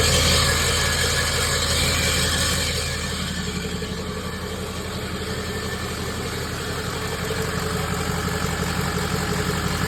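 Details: 2006 Ford 6.0 Powerstroke diesel right after high-pressure oil pump replacement, at start-up and idle: loud grinding, metallic rattle; starter pin checked through transmission housing bottom access port, cause suspected.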